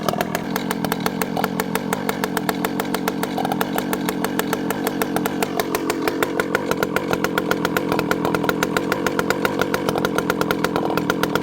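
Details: Rebuilt ported Stihl 064 with a new carb replacing one whose low jet wouldn't tune, warming up before tuning, idle slightly slow: crisp, rapid, even firing holding steady with slight pitch shifts; runs clean and healthy.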